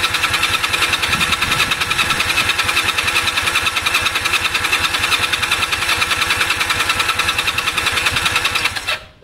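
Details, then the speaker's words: Honda CB250 compression test, cranking with throttle wide open and plugs disconnected: even, soft chugging with no firing. Gauge reads about 60 against over 150 expected; low compression. "so that ceiling huh it's at about 60"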